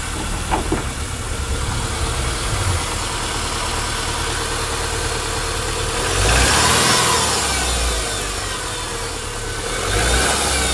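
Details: Cold engine idling with a light, regular rapping about four per second that rises briefly with revs; owner suspects piston slap when cold.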